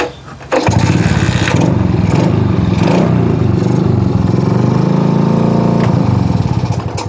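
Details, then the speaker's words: Shogun R110 motorcycle with gear-indicator plug reconnected, first gear engaged: engine runs at a rough steady idle several seconds, then fades and dies; stall caused by a short in the first-gear indicator lamp wiring. "من الواضح أن هذه هي المشكلة ، فقد اتضح أنه في مسار الكابل الذي يذهب إلى مصباح مؤشر الترس 1 ، هذه مشكلة"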